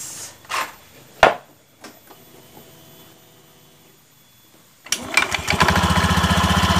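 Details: Honda Beat eSP scooter with a CVT clunk on takeoff, after replacing the worn-out clutch shoes: engine fires up and settles into an even, steady idle with no clutch rattle or drag; normal clutch engagement.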